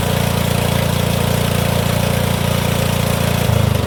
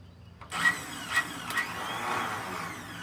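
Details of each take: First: Cub Cadet HDS riding mower with a suspected blown head gasket and squirrel-damaged coil wire, started on starting fluid with no battery: the single-cylinder engine holds a steady, even chug with no knocks. It runs and drives. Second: Cub Cadet HDS mower with a possible blown head gasket, transmission fluid poured into the cylinder to add compression: short starter bursts, then a free, light whir with no cranking; starter spins without engaging the flywheel.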